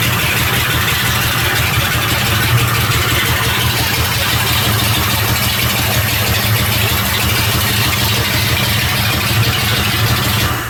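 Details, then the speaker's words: Big-block 454 boat engine in a Tuff Truck, first start after sorting a fuel pump power and fuel pressure problem; lights off and settles into a steady, even lumpy idle with no misses or knocks. "But it's wonderful to hear it fire up, and I'm excited to, you know, get a drive line in it and get her closed up and potentially go vroom vroom with this thing."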